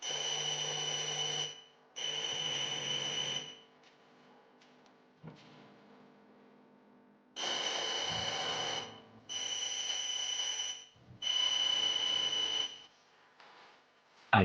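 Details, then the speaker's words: Noblex DJ43x5100 smart TV, sound from its speakers, no backlight: buzzy, whistling bursts about two seconds long with quiet gaps as the set keeps restarting. Reboot loop caused by an open (burnt) LED backlight strip. "when you connect it and turn it on, that strange noise is produced and in the light of a flashlight you can see the noblex logo while it restarts"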